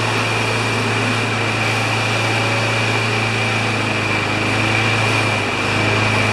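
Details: Craftsman mower with Kohler engine of about 6 hp, after cleaning the carburetor: steady, even drone with no surging or missing; runs normally, but a filter is still needed.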